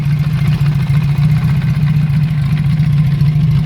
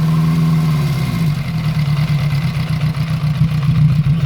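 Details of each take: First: Honda CB350F (350 Four) during restoration, carburettors not yet tuned: smooth, even low idle with steady firing, no knocks, ticks or anything funny; engine runs very well and sounds mechanically sound apart from needing carb work. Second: Honda CB350F four on first start after restoration, carburettors not yet tuned: lumpy idle that surges, dips almost to stalling, then recovers. Sounds rich with unburned fuel coming out; a vacuum leak is suspected.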